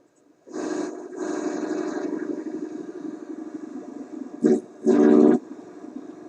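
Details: Concerto AM/FM vacuum tube radio LL21552, AM band: hissy, crackling reception with noise and interference that comes and goes, louder stretches when touching the antenna circuit raises its Q; FM works fairly well. Weak AM signal with noise.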